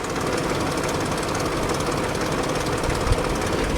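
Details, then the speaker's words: Salvage-auction car at idle, oil fairly clean and not overfilled: a dense, busy rattle sits over a steady idle with no change in speed; the owner notes odd back pressure; the front-end engine rattle is of unclear origin. "I feel like there's something going on with this car Inhotim game I don't know"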